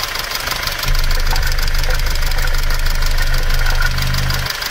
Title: Стук M271.860 рокера knocking m271.860 rocker arms